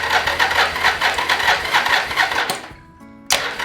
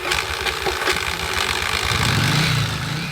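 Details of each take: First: 1981-1983 Yamaha XV750 Virago after starter system repair (starter motor, starter clutch, solenoid, idler gear): two bursts of fast, even whirring crank, about three seconds each, not yet firing; starter and solenoid sound healthy. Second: 1981-1983 Yamaha XV750 Virago: harsh, uneven clattering and grinding as the starter cranks before the engine catches and runs; starter issue, fixed by replacing starter clutch parts.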